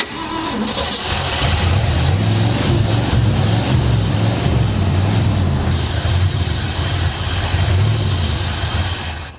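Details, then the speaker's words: 1966 Mercury Montclair, after capping rotted-off vacuum hoses on the back of the intake manifold: a rough, uneven idle with a steady thin hiss. Another vacuum leak suspected, not confirmed; a carb base gasket leak is known. "I still hear swear I hear another vacuum leak somewhere."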